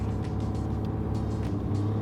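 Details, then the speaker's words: Single-turbo Toyota Supra on its first test drive: a steady, smooth engine hum held fast at about 1500 rpm; the idle sits too high after hunting earlier, and it ran a little smoky after sitting; cause not yet inspected. "The idle's pretty high. It was hunting earlier, but it seems better now. It's just idling at 1500,"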